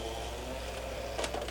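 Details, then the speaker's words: PS3 Phat Blu-ray drive after repair, where the loading-mechanism pin was repositioned in its plastic channel. A quiet motor whir and light clicks as the disc is pulled in and spins up; it now loads normally. "takes it in starts spinning you can hear it spin up okay so i'm going to eject it seems to be fine"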